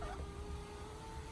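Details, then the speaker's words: 2000 Ford Mustang V6, battery deliberately drained with the fan for testing; passenger window motor gives a steady low whine that drags without speeding up, window very slow; slow power window from low battery voltage, would be much faster with good battery. "it is really slow. Typically with the would-be good battery in this thing, the good battery is actually just off this side. Again, this is the bad battery just for the testing. It would go way faster."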